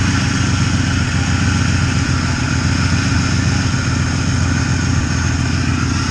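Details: 1993 Ford Ranger 3.0 Vulcan V6, blown head gasket, exhaust gases in coolant, running on five cylinders: steady but lumpy idle with an irregular missing pulse.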